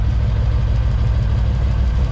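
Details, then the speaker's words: 1988 Ford Mustang GT (Foxbody) at idle during a spark-grounding misfire test: lumpy idle with soft ticks; grounding this plug wire changes nothing, so that cylinder isn't firing. "Oh, I didn't really change much on that one. Doesn't sound like that cylinder's working."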